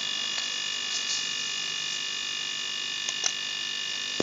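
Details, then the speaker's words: Fridge compressor (3/4 HP, not 1/2) fitted with a 50 cm, 0.54 capillary salvaged from an AC, running steady and light with an even hum and high constant tones, no knocking; the compressor works more easily than with the 2 m, 0.28 capillary. "Oke saya sudah uji dua bahwa yang 0,54 ini lebih kencang mesinnya lebih enteng ini mesin 12eng ringan"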